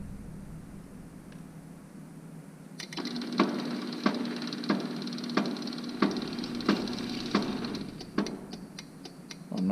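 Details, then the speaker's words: Used garage door opener being extended for a 12 ft door, no safety sensors fitted, run by jumping wires: steady motor hum broken by uneven sharp clicks about 1.5 per second; owner concerned, source unclear. "i really don't like that i am concerned about that noise"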